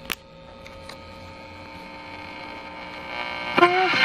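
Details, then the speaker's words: Pre-war Detrola tube radio in a custom case at first power-up gives a constant, steady low hum with no program audio; diagnosed as bad filter capacitor hum. "Bad filter hum. Bad filter capacitor."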